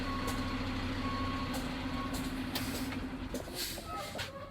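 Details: CDL truck pre-trip test with the truck put in reverse to check the reverse lights: a steady repeating backup tone over a low diesel idle; the reversing alarm works normally.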